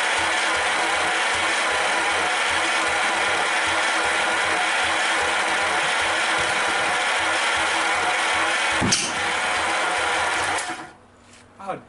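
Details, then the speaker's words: American LaFrance Lycoming V12 cranking for its first start in years, separate carburetor shutoffs: starter churns with uneven ragged catches that never pick up; owner thinks it is out of time, possibly coil wires swapped putting it 180 degrees off. "i hear it firing it's jumping somewhere"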